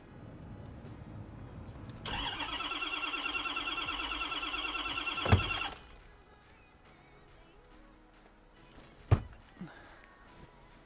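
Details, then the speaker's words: Rolled-over 2013 Ford F350 diesel salvage truck, start attempt: steady starter whir about four seconds with no fire. "let's try one more thing I know Ford's have fuel pumps which shut off let's see let's locate that switch and see if it's a shot off or not"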